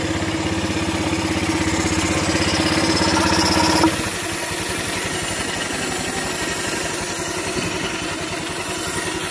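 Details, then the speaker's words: Honda Vario 150 scooter idling with the engine breather (crankcase oil catch) hose removed: hissy sucking air noise over the firing beat because the open port is left uncapped and keeps drawing air. "ini kalau suara itu suaranya dari sini Mbah dari in karena ggak ditutup jadi nyedot terus jadi bunyi gitu lah"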